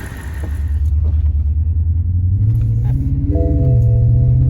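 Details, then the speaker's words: BMW E65, right after a spark plug change: deep, uneven rumble with a lumpy, stumbling beat under light acceleration. Engine misfire; owners suspect the plug job was done wrong, perhaps tightened with a 1/4 inch drive, or the plugs are not the right ones. "I don't want to go. I can tell that's misfire. Son of a bitch."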